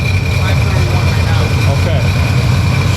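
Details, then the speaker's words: 2005 Sea-Doo GTX running again after hydrolock, oil siphoned out, letting it heat up before an oil change: deep, steady low idle rumble with slight unevenness while it burns off water. "oh now she's burned she's burned she's burned burning out all that BS burning out all that BS"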